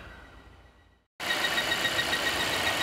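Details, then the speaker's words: 2016 Volvo XC90 with lean code P0171 and engine light on: steady loud whistle near 2 kHz with faint chirps over engine hiss; the noise stops when the oil cap is lifted. Failing PCV oil trap, needs replacing. "it looks like it's gonna actually make noise force you should be able to hear the chirping maybe even like to confuse an accessory or belt noise but when we pull the oil cap you'll notice that it will go away"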